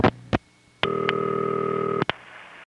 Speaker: from a cross bar one office like Ben's if it's going through on a direct trunk you'll hear the ring start right after the first set of loud clicks like this